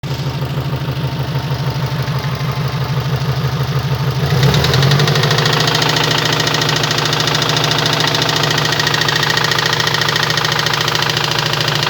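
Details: Subaru Impreza WRX bugeye petrol boxer engine with the famous rod knock: a steady rhythmic knock at idle that carries on through a brief rev.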